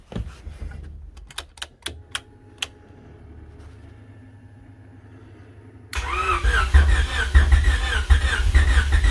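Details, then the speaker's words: Honda Civic hatchback build at about -5 degrees, frost on engine, battery possibly dead: a few sharp clicks and a pause, then the engine catches and runs roughly briefly before dying; crank no-start, cause unclear after long troubleshooting. "as you just saw i couldn't start it it started for a little while"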